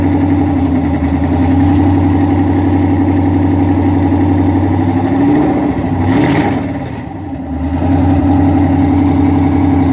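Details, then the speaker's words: 2010 Dodge Charger Pursuit police car, first start after Texas Speed stage 2 cam install, exhaust not yet fitted: lumpy, slightly high V8 idle with cam lope, even firing, previous tick gone, engine light on; running healthy. "No ticks, no clicks, baby. Running perfect. You hear the cam."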